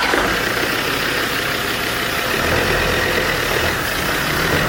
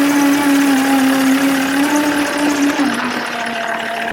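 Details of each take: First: Land Rover Defender TD5 90 diesel after rebuild with new clutch and LOF solid mass flywheel: even diesel clatter, no whirring or rattle from the clutch, the earlier noise from the spinning spigot bush is gone; normal clutch operation. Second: Land Rover Defender driven in reverse: a steady whining hum that sags as it slows; worn clutch spigot bush in the crank end, which locates the gearbox input shaft.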